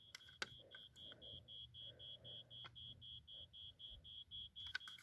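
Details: 1987 Wake and Warn 2 smoke detector with rusted battery compartment, tested holding the battery and pressing test button: thin high beep pulsing about three times a second, very faint; corrosion likely weakening the sounder.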